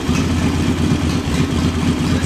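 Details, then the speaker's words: Small engine with a newly installed JS flatside carburetor, revved then settling back to a steady, even idle after the idle mixture screw was set about a quarter turn; normal idle, sounds good. "rib it up and then settle back down to an idle sounds good"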